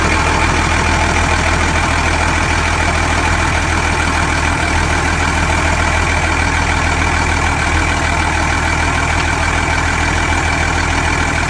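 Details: Ex-Australian Army International ACCO 6x6 truck with a Perkins 6354 six-cylinder diesel, idling while blowby is checked at the oil filler cap: steady, even tick-over, no knocks or misfires.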